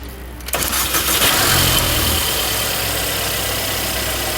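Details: 2018 Mercedes CLA 250 with a click and no start: 12 V at the battery but none at the starter cable; with a jump box on the starter cable it cranks briefly, catches and settles to steady idle, so the starter works. The blown fuse is in the battery current sensor terminal.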